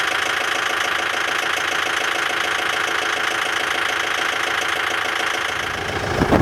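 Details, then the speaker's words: Sold Kubota diesel tractor headed to a beef farm, at about -30°C after a -40°C night: glowed once about 20 seconds, now steady even diesel clatter at idle with no misses or hunting, normal cold idle; to warm 15-20 minutes. "Again, perfect start. Actually only glowed it 1 time for about 20 seconds there and away it went."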